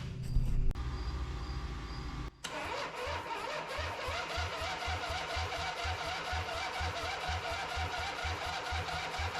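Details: Harley V-twin in an off-road trike build, just rebuilt, with choke and a little fuel, now with compression. After a short crank it fires and settles into a steady loping idle at about three beats a second. The ignition timing needed significant adjustment; normal start and idle.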